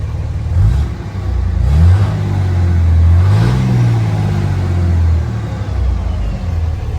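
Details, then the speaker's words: 2006 Dodge Cummins 2500 Megacab diesel after a fuel injection pressure regulator fix, CTS3 tuner and 100 hp injectors: a deep note climbs with the rev and falls away cleanly on decel, smooth with no misses or knocks. "nice decel i think it's good to go sounds smooth um glad to have it running"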